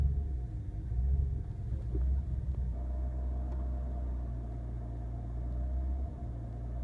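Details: BMW E46 325i petrol six idling with a deep, uneven rumble that swells and sags; fluctuating idle with EML, DSC and brake warning lights, caused by a faulty throttle and broken throttle and accelerator pedal cables.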